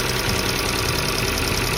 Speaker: 第二种就是气门异响，也是很有节奏的清脆的敲击声，听起来哒哒哒的，很清脆的声音，就像小锤子在敲发动机。